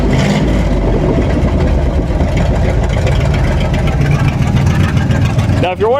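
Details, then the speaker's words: 1958 Chevy Apache after plug clean and gap: very loud, deep, raw rumble booming when revved with no muffling, because the Cherry Bomb muffler joining the exhaust sections is missing. "it's so loud uh there was a cherry bomb connecting uh part of the exhaust for the rest of the exhaust that's no longer in there"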